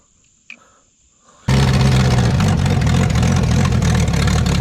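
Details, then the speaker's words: Abandoned 1966 Ford Mustang, with new ignition parts; the coil had been installed backwards. Sudden loud start, then a steady, even low drone with no misses or knocks, running by itself and settling into a smooth idle. "running all by herself that's that carburetor boy"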